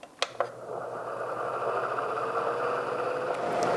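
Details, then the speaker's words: Honeywell air filter fan after cleaning and super-gluing a loose part: after a couple of clicks, smooth steady airy whoosh with faint low hum and no rattle, significantly quieter than before. Normal fan running quietly. "That is significantly quieter than it was. Heck yeah."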